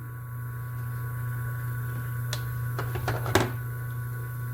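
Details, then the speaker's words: Single-phase motor fitted with a run capacitor larger than its rated 25 µF: barely starts, current stays high, heavy low growling drone with brief clatter tracking mains oscillation; oversized capacitor causes humming. "Mas olha o barulho dele, fica dando aquele barulho da oscilação da rede elétrica, fica roncando."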